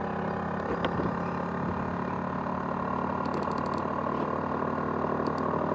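A steady whirring hum with scattered light ticking and rattling over it; the drive is rattling abnormally, cause not clear.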